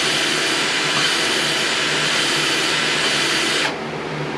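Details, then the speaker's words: Old Craftsman lawn mower engine rebuild, dead seven years: valve chucked in drill lapping against seat, steady high gritty grinding of compound cutting as expected; sound changes when compound is finished. "you hear that grinding that's the compound working basically you don't want it to just sit there you want to kind of touch off on it and then you'll hear a change in the sound and that's when the compounds fini"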